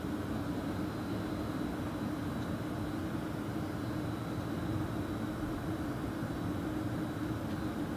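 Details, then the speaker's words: 2018 VW Transporter T6 Webasto ThermoTop Evo parking heater firing with cabin fans blowing hot air, heat felt at vents: steady even whooshing roar with faint hum, no knocks or surges; normal. "all that noise at the moment is your Roboto heater firing you've got your fans pumping out hot air I'm just feeling the heat coming out now and it's definitely starting to feel quite warm here"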